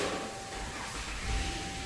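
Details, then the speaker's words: 2011 Dodge Caravan work van that stops moving after a short drive, warning lights on the dash, on a test drive: a thin, steady whine over road rumble. Automatic transmission pump whine. "transmission is not happy it is not happy I can hear the the the pump winding uh transmission pump winding"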